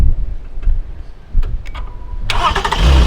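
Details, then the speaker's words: V6 car with a deliberately drained battery, jump-started using a JF-EGWO F40 jump starter: quiet clicks, then a quick crank and the engine catches at once, settling into an even idle, a normal healthy start. "all right so as you can hear the vehicle started but what you want to do is you want to leave the car running for maybe 20 minutes so that the alternator can recharg"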